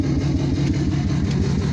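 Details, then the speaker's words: Chevy diesel truck (Dirtymax) idling at night with an 8-inch exhaust tip, check-engine light on: lumpy, uneven pulse of a few beats a second, pointing to a cylinder not firing right; awaiting a replacement engine. "Sounds like a pissed off Dirtymax, but nope. She's not a healthy truck. She's a sick truck."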